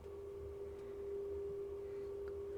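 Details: Harman Kardon PM665 amplifier, phono preamp channel under test-tone input, volume up: only a faint steady tone, far too quiet; transistor Q602 lacks gain due to a solder bridge grounding its base.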